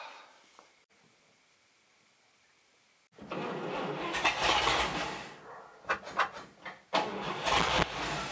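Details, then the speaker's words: 1958 Chevy Apache barn-find truck, sat about 20 years, first start on a new carburetor with a weak battery; after cranking it catches and settles to a steady idle with a few throttle blips, running cleanly. "running pretty dang good"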